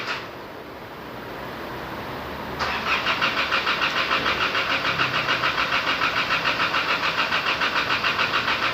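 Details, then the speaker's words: Isuzu D-Max 4JJ1/4JK1 2.5 L diesel after a rebuild for a loose engine pushing out oil: first start after fuel bleeding. A quiet hiss, then a steady pulsing beat of about 3.5 per second as it cranks and picks up. It runs quiet; normal start. "โอ้โห้เยอะขึ้นมาแล้วนะเสียงเงียบเลยนะคะนี้นะมีเสียงไพเราะเพราะพริ้งเลยครับ"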